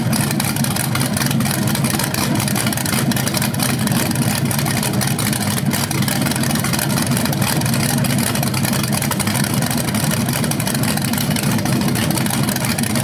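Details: First run of a BluePrint 396 big-block crate engine on a stand outdoors for a 1970 Camaro SS, with headers, oil primed and timing checked: steady, even, throaty idle with no knocks, ticks or misses; sounded good, no leaks.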